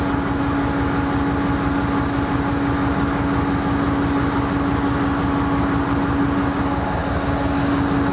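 Loud steady diesel idle with a constant hum and a low, slightly uneven pulsing throb underneath; the idle sounds rough.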